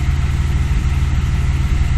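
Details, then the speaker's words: 2003 Audi A4 3.0L, about 207,000 miles, idling rough with a lumpy, periodic stumble and visible shaking; misfire codes 301–306, codes 171/174, EVAP codes and an erratic temp gauge; plugs changed, cause not yet found. "the car is idling really rough and it's like"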